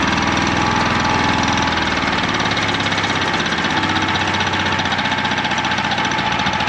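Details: Champion 100812 generator (2019, used once, sat about 4 years) after starting with carb cleaner, first run, choke off: slow, lumpy, rough idle with a loose chug; idling too low, unsure whether it idles up under load.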